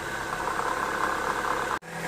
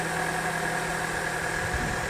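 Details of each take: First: Engine idling with a rough, gravelly rattle traced to the A/C compressor pulley bearing, no play in the pulley; noise gone after the bearing was greased. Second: Petrol engine idling smoothly after the noisy AC compressor pulley bearing, found as the source of a rattle/knock, was greased; compressor now engages cleanly and runs quietly, no rattle.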